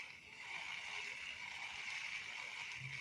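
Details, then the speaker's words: Sauga budget fishing reel used about a year: continuous high, gritty rasp while cranking with no smooth spin; owner suspects sand inside. "Dalam video ini, saya penasaran dengan reel Sauga yang sudah saya gunakan selama sekitar satu tahun, dan bunyinya sangat kasar,"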